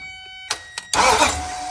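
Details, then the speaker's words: 2005 Nissan Titan starter: good power reaches the solenoid but not the starter until a couple of hammer taps, then it cranks and the engine catches; starter solenoid dead spot, starter replaced. "so we got good power coming to the solenoid it's not making it over to this and that's because we're in a dead spot on that solenoid so now let's get a hammer"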